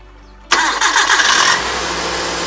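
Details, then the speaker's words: 1997 Hyundai Accent with front accessory belt, after fixing a belt that squeaked on startup: engine cranks, catches and settles into an even idle with no squeal or chirp; belt now quiet. "No, you heard it have no noise."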